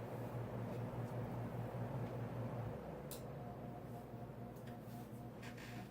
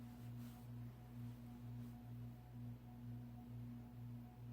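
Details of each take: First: Codep 48-inch cast-iron spinner ceiling fan on medium speed: quiet hum with buzzy vibration that settles when the canopy is steadied; the canopy was rattling, not normal. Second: Codep 48-inch cast iron spinner ceiling fan on a Casablanca speed control at medium speed: steady low cyclic hum pulsing about twice a second, no rattle or scrape; normal healthy sound, earlier vibration traced to the canopy.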